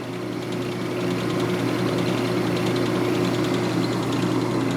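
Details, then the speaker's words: Ammco 4000 disc and drum brake lathe, 110V single phase, on factory stand, running with no rotor mounted: steady motor hum with soft even low buzz and faint regular ticking on slow feed; normal running. "We sell machinery, so we don't have rotors around the cut, but manually crank it in and out. There's your slow feed."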